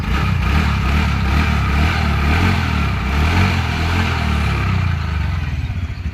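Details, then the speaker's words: TVS Ntorq BS6 scooter after repair of an engine noise earlier traced to the magnet side: a steady, even low idle with a soft, smooth rumble and no knock or tapping; normal idle. "अभी देखिए sound कितना smooth हो गया देख सकते हैं आप लोग कितना स्मूथ साउंड हो गया"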